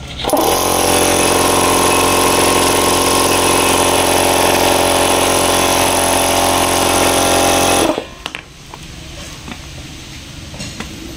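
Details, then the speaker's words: Electric air compressor repaired after humming and not running due to seized internal bearing; bearing freed and new oil added: loud even piston chatter about four beats a second over steady motor hum, running smoothly. "tinggal diketok-ketok dan kasih pelumas yang baru dan sudah jadi. Jadi tidak riber ya, Teman-teman."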